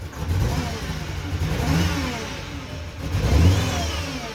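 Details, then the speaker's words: VW that will not idle and dies without throttle, with the check engine light returning; held near 1,000 rpm in neutral, the engine surges and sags unevenly and sounds like it is running out of gas. Rough running, cause unknown. "It sounds so bad. But this is how you have to sit at a red light."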